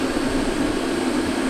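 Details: Diesel Heat DH15 diesel heater/hot water system, newly installed on a 40-foot wooden boat, first firing: steady even roar with a low drone, no sputter. The burner lit cleanly and is heating below decks.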